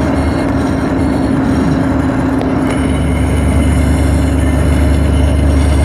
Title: Another video of T56 gear noise